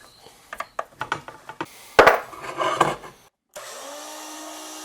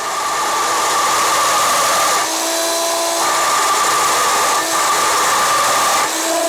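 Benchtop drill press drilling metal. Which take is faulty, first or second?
second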